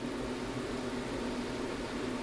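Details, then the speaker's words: HCALORY 5 kW diesel heater in an ambulance conversion, test fire after remounting and before a controller swap: steady, even fan rush with low hum, no knocks, the normal start-up purge blow before the fuel pump starts clicking. "So it's going through its blow right now, and then the fuel pump's going to come on here in a second, hopefully."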